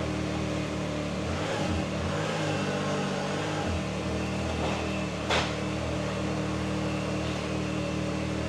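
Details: Can-Am Maverick R after reinstalling the part held by the hard bottom mounting screw, start-up: engine fires and pulls cleanly through a couple of smooth revs, then holds an even hum with no clunks or misses; shifting works.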